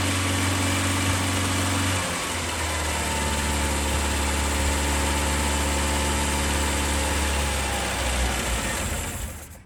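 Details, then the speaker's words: Skoda Favorit Forum, not started since 2001, fitted with a borrowed distributor cap, rotor arm, HT leads and plugs. It runs at 2–3,000 rpm on half throttle, but when released it settles from a fast idle into a lumpy, wavering beat and dies. Unstable idle; old fuel in the tank suspected. "when you let go and let it idle with it doesn't really want to sit there yet but in fairness we've still got old fuel running in the tank"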